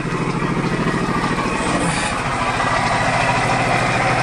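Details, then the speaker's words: 1998 Geo Metro three-cylinder that sat for years, idling lumpy and uneven with a stumbling beat about three per second, shaking hard; water pump sounds worn out with no coolant in it; misfire from a valve fault. "it sure doesn't sound good either where's the engine that's shaking away Something's Wrong"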